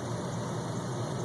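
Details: Treadmill DC motor from a Landice L7 treadmill, belt off, run on its original electronics, bearings just replaced with cheap auto-parts bearings, tested for a Shopsmith 10ER variable-speed conversion: steady smooth whir, even low hum, no grinding or rattle; normal motor run.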